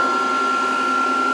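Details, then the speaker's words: VFD under test while reforming its capacitors, fed at about 140 volts through a series lamp, showing undervoltage and flashing stop; steady high-pitched cooling fan whine with smooth airy rush, no wobble or rattle: cooling fan running normally. "But you can hear the fan and you can hear everything."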